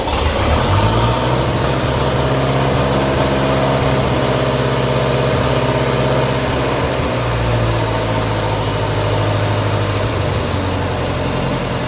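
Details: 1957 Ferguson FE35 TVO tractor first start after restoration work, in neutral, choke on, tickover unadjusted: slightly uneven idle with faint thin whine over the low thump; whine source uncertain, heard as air leak at carburettor flange.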